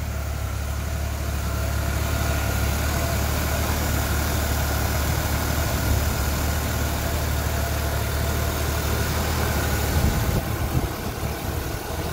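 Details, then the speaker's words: 1981 Jeep CJ-8 Scrambler after a frame-off restoration, carbureted engine fires first try and idles with a steady even low rumble, about four pulses a second, no misses, knocks or ticks; normal idle. "so without fuel injection this thing fires first try every time really run smooth"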